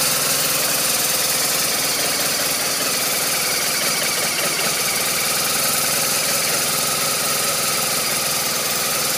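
Steady idle with an uneven, lumpy beat and a busy, hissy top end; the engine is clearly running rough, cause unknown.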